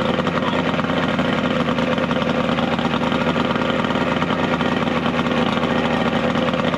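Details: 70HP two-stroke Mercury outboard on a 1967 Duo boat, running on water hose ears with battery, not hot: steady, busy idle with even beat, no misses, knocks or grinding; hard starting but runs very well once running.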